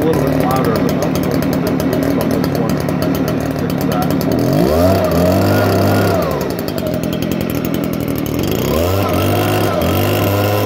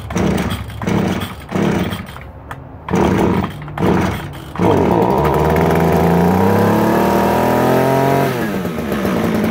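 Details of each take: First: 2015 Stihl BG56C leaf blower, six years old, already used earlier that day (easy start): a strong, even two-stroke buzz revved up twice and dropped back cleanly with no stumbling or surging; runs very well. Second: Stihl string trimmer, new primer fitted this year, must be tilted to get fuel, started on choke: several pull-start bursts, then it fires and runs with a wandering, uneven pitch before falling off; hard starting and rough running, and the owner suspects it needs carburetor cleaning.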